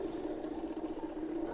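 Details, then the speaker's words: RO water purifier with DC SMPS powered but not starting; after fault traced to wiring and fixed, booster pump runs with a steady, even mid-pitched hum, no knocks or surging: normal running. "और अपना water purifier चलने लगा है। तो problem क्या था? Problem wiring में था।"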